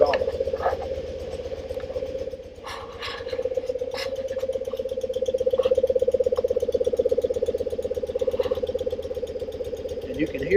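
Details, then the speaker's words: 1974 BMW R90S airhead, warmed up, idling in the garage: an even idle with a soft, irregular gobbling pulse about 160 a minute from the case. The cause is a crankcase breather flapper valve fitted upside down. "else sounds really good, but when you sit at a red light and that thing starts gobbling, it's kind of embarrassing and annoying."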